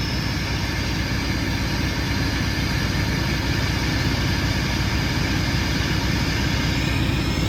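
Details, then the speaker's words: Mack MP8 diesel truck on first start after injector cup and injector replacement: loud, steady idle with an even rapid thrum through an open exhaust, smooth with no misses or knocks. "D that sounds awesome this thing sounds really good actually right listen to that"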